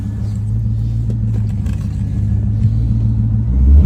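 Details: C5 Corvette V8 at idle: deep burble with an uneven, lumpy pulse and a slight swell in revs; rough idle, cause not yet clear.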